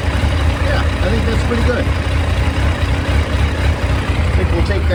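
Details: 2001 Yamaha FZ1 four-cylinder, hot engine after carburetor rebuild for fuel leaks and synchronization: steady even low burble at warm idle, no hunting or stumble, cylinders balanced.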